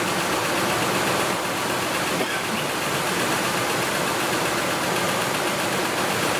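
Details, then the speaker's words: 2005 Ford F150 idling after a rebuilt transmission install and an oil change (it had almost no oil); steady idle with light fast ticking clatter, not clean yet though quieting down; source unclear. "but it doesn't sound good yet these at this point in time we do know that the truck does have oil in it"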